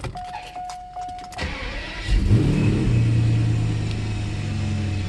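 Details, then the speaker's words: Mercedes SL600 after throttle body and Egas repair: restart cranks and catches, flares briefly, then drops quickly to steady even idle without hanging; normal restart and idle. "Yep, perfect. It drops right down. Sometimes they get stuck."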